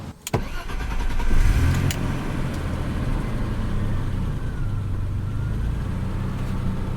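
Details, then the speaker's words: Barn-find BMW E34 after the torn idle control valve boot, a vacuum leak, was patched with electrical tape: the engine catches after a brief crank and settles into a steady, even low rumble with no stumbling; normal idle now. "it's running way better now what damn that electrical tape did some wonders because it's running amazing now sounds like a bus"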